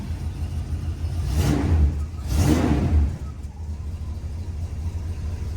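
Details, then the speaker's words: 1971 Oldsmobile Delta 88 Royale, first start after installing a remanufactured Rochester 2-jet carburetor, not yet warmed up: fires quickly once fueled, two crisp rev blips, then a smooth steady idle; normal running. ">> That fired up quick, huh, Xander? >> Soon as I got fuel up to it."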